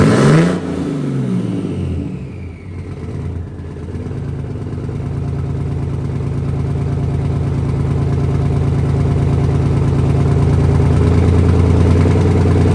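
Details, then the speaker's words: 1968 Dodge C500 truck, cold first start after long storage, 55°F day; catches after a few cranks, settles to steady, slightly lumpy low idle, lots of smoke, oil pressure up, building air to 90 PSI; smoky idle, cause unconfirmed. "Well, I'm happier in a tornado in a trailer park. God damn, she runs. It's getting a little thick in here, though."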